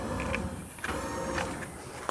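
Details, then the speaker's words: 1958 Jeep CJ5 winch operated from dash buttons: faint steady electric whir with a few light clicks as winch motor turns; winch works normally. "Sounds like it's doing something to me. Well, that is awesome. I have a functioning winch as well."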